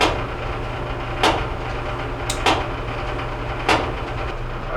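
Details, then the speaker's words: Whirlpool Duet steam dryer WED94HEXW1 tumbling with the side panel removed: a heavy thump about every 1.2 seconds, once per turn, over the drum rumble. The drum is bowed and egg-shaped and rubs the right side panel; the drum needs replacing. "by looking at the drum I can see that the drum actually is not we'll say circular it's more egg shaped there's a there's a bow in one point of it um so we're going to end up having to replace that drum"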